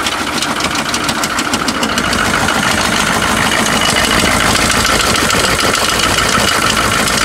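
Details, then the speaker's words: GMC Suburban 6.5 L diesel, bought unseen, seller said it runs rough and smokes, first start on trailer: rough idle with quick tick about three per second over clatter on one side; tick or knock, cause not pinned down. "uh it sounds like on that side there's a kind of a tick or a knock or something so i'm going to have to deal with that right now"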